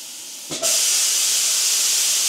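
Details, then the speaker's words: DIY JD's Garage-style CNC plasma cutter, torch-on test from control: soft air hiss jumps to loud steady high rushing hiss as the arc strikes and holds evenly; normal torch firing. "what I'm going to do is I'm going to hit torch on you'll hear it you'll hear it light up torch on and it's a plasma T off"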